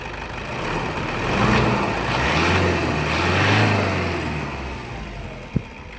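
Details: Toyota Hilux Vigo with a hard-starting complaint, after service with carbon parts and the starter attended to: the engine starts and runs smoothly, revs rising and falling without misses or starter grinding. Normal start.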